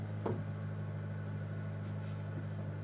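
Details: 2007 Honda Civic Si, just over 67,000 miles, parked at idle: under-hood rattle stops with clutch pedal pressed, leaving a steady low idle hum; rattle returns when released and when revved; heard best cold.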